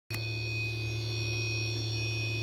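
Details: MX60 charge controller just switched from 24V to 48V, with two 24V panels in series; array at 56V, battery at 53V. A steady hum and constant high whine occur when PV voltage falls below 60V; owner suspects an alarm, unconfirmed.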